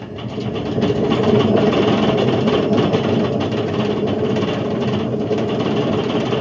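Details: Indesit IWC71453 7 kg washing machine on a test spin aiming for 1400 rpm: heavy, continuous grinding roar builds as the drum speeds up and stays rough; drum bearings completely gone, drum wearing into the plastic tub, belt got caught.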